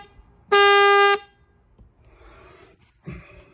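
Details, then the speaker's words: 2003 Bayliner 215 Bowrider boat horn, mounted ahead of the bimini mount: one clean, steady blast of about half a second, full and even in pitch; the horn works normally. "And then you have a horn. The horn is just in front of where that biminy hooks up."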